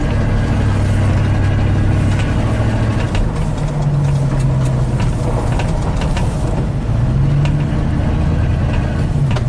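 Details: 1987 GMC 1500 plow truck after ignition repair for warm-under-load misfire/stall: deep even rumble pulling steadily under load, no stumble or misfire, EST signal online; running strong and smooth.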